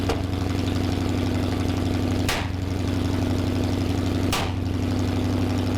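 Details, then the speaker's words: Freshly built Mopar 360 V8 (1974 Plymouth Duster) first start, hydraulic flat tappet cam: lumpy idle with sharp stumbles about every two seconds; misfire and timing trouble from two accidentally swapped plug wires. "so it was running but it wasn't running well we couldn't get the timing right it was misfiring pretty bad after a bit of digging we found that we'd accidentally swapped two of the plug wires"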